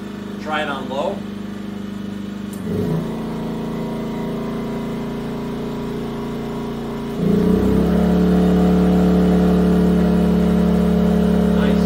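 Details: Yamaha EF2000iS inverter generator on propane after tri-fuel conversion, leaned out, Eco mode under about 1,400 W load: even drone stepping up in pitch and volume as load comes on, then holding steady without hunting; normal running.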